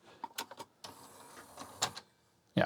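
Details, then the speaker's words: 1987 NEC CD player (CD-510) after cleaning and refitting the tray drive belt and brass wheel; short motor whir with a soft clunk at each end as the tray opens and closes cleanly without slipping: normal tray operation. "Let's plug the player back in. Just give it a run through just to make sure it opens and closes."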